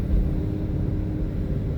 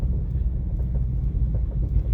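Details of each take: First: 2017 Mustang GT (S550) driven over a bumpy road after fitting updated BMR toe rod ends and a new alignment: low, steady road rumble with no clunks from the rear suspension. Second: 2017 Ford Mustang S550 GT driving: irregular light clunks and rattles over road rumble from BMR rear toe rod ends, a bad batch; fixed with updated replacement rod ends.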